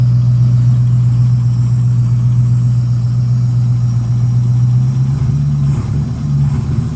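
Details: 383 Chevrolet V8 newly fitted with FiTech 30002 throttle-body fuel injection, fuel pump wired to FiTech orange wire and system primed: deep, steady idle hum holding even pitch, slight shift near the end as speed settles, normal idle.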